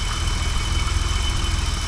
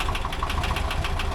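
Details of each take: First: 1985 BMW 635CSI at a steady, even idle with a smooth low pulse and no knock or misfire, running cleanly under power steering load while the transmission fluid is checked warm; normal idle. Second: 1985 BMW 635CSi at steady idle: sharp, regular tick about six or seven times a second from the valves; a couple of valve adjuster screws are bad, new valve parts ordered.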